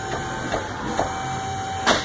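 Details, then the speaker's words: Truck left rear wheel turning on the rack: steady rough whirr with scraping pulse about twice a second from a badly worn wheel bearing; right rear strut also leaking. "this is the left rear wheel of your truck your wheel is bolted tight with the wheel bearing is shot"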